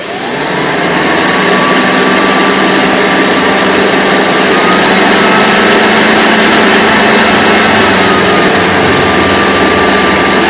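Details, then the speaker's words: Hoover Decade 80 upright vacuum (model U4385, 120 V, 6.0 A) on the surge high-power setting on carpet: motor spins up, then a loud steady hiss with an even whine; normal running. "So I'll turn it on, and then I'll let you hear what it sounds like on the surge, you know, the extra power."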